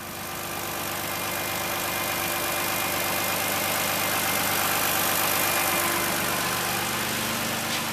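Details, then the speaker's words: Toyota first fire-up after reassembly, fresh 5W-30 full synthetic, coolant low; smooth, even idle with steady low hum, no knocks, no oil pressure light, sounds much better than before: normal idle. "still a lot of idiot lights on the dash but no oil no oil pressure light so that's good uh what was i saying i don't remember sounds a lot better it sounds a whole lot better"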